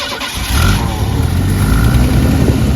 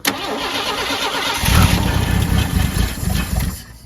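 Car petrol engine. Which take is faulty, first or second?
second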